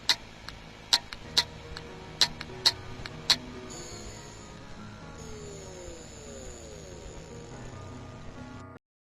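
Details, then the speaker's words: Hard drive with a damaged head preamplifier: sharp, uneven clicks roughly once a second for a few seconds as the heads keep resetting; the whole head assembly must be replaced. "también podemos identificar este problema por el sonido emitido desde el disco duro cuando el preamplificador se daña"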